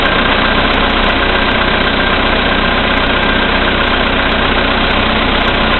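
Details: VW Polo Sedan, CFNA engine, 2222 km, cold start at -5°C after sitting overnight; oil three marks below max, on Lukoil 98 for about 90 L. Steady fast knock, about four per second, over the engine hum at cold idle. Cause unknown.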